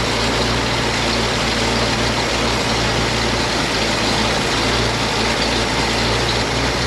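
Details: 1956 GMC 630 fire truck, 503 straight-six, rescued off a farm and running on fuel primed into the carburetor: deep, steady idle, smooth and even, with no knocks or misses over the low rumble, until the fuel runs out.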